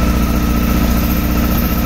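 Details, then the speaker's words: 2007 Honda Hornet 600 misfiring and not holding idle during synchronization idles with a slightly uneven low throb and thin steady tone; cylinder 1 dropping, vacuum hose punctured by a screw and leaking. "vê se dá para pegar aqui no Vazando na mangueira aqui ó pegou aqui nesse parafuso e furou a mangueira aqui ou cortando se der para cortar vou ver aqui que é melhor vazando alteração aqui ó totalmente com essa mangueira vazando lá não consegue entendeu"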